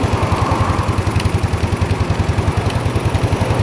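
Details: Old Yamaha Mio scooter idling, with a burnt stator coil and a faulty regulator (kiprok) blamed for shorting everything: quick, regular single-cylinder putter with even pulses and no hunting; idling fine, though horn and indicators still not working.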